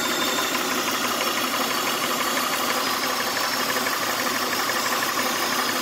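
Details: 1999 Honda Odyssey at idle: constant airy hiss over the engine note; owner suspects a vacuum leak under the intake manifold, unconfirmed.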